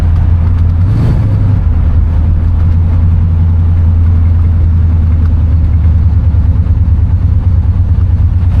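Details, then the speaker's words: 1969 Chevrolet Impala convertible, 327 V8, accelerating on the road: deep, smooth drone climbing as the car pulls strongly, no belt squeal or rattling; healthy engine. "Motor definitely sounds strong though. She's pulling. No crazy belt squeals, no rattling or anything."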